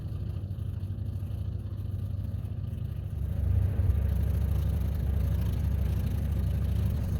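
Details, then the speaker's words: Ford F-1 truck with a temporary "clickety-clack" electric fuel pump filling the carburetor float bowl; the original mechanical pump's diaphragm dried out after 25 years of sitting. A steady low clatter of about 2.5 ticks per second that grows slightly louder means the pump is working fine. "wondered how you can tell whether or not your fuel pump is working just listen for this sound if it makes that sound then you got a good fuel pump"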